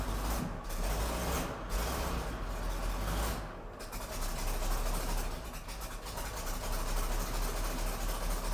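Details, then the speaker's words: 1993 Ford F700 gas dump truck, long parked, first run after something poured into the cylinders: V8 idling unevenly, the beat stumbling every few seconds; owner suspects a miss. Rough running, suspected misfire. "sounds like it's missing I wouldn't be surprised"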